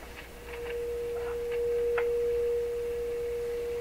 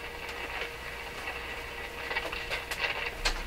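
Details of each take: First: Rogers 11RA651 shortwave radio audio amplifier stages fed a signal through the phono input, on an outdoor antenna: clean, steady mid-pitched tone with no hum or distortion; normal audio output. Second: Rogers 11RA651 shortwave radio, while probing near the output tube grid for bias voltage: irregular scratchy crackles and pops over faint hum; audio stage breaking down, fault source not yet found.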